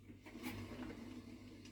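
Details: Washing machine drum turning quietly after removing a long object, probably about 50 cm, lodged between drum and casing: a low steady hum with soft taps and no scraping.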